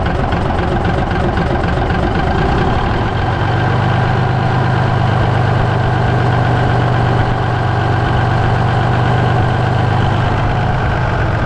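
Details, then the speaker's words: 1965 Kenworth truck with a Cummins 855 inline six, running for the first time in years after a new 12V starter and a compression-release start: heavy diesel settles into a low, steady idle with an even beat, no misses, knocking or white smoke. "well there you see 546 ply Barian truck number 546 under its own power for the first time in a long time"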